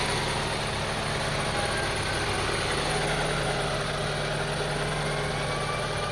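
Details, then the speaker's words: 2002 Honda CR-V 2.4L rough idle with uneven wavering thump and stalling, unchanged after cleaning the idle air control valve beneath the throttle body; owner suspects a bad throttle body or air control valve. "See, I cleaned the air control valve beneath there, located beneath the throttle body, but did not solve the problem. Maybe the throttle body is bad, or maybe the air control valve is bad. So, as you see, still the same thing."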